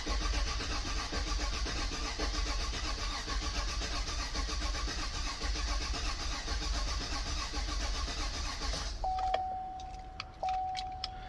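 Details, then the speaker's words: 2018 Chevrolet Suburban LS V8 after overheating, suspected blown head gasket, injector fuses pulled, cranking to build oil pressure (reading 0): starter churns at a lazy, uneven pace about nine seconds; weak battery dragging the crank. "Battery is weak."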